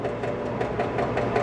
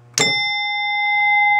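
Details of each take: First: 1967 Williams Magic City electromechanical pinball during score reset: score motor cycles with an even clatter about five times a second but the thousands reel never resets to zero, though it advances in play; reel wiring fault. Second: 1967 Williams Magic City electromechanical pinball machine with newly replaced chime coils: one clean chime strike rings out loudly and sustains evenly, with no buzz or dull thud. Chimes are scoring normally.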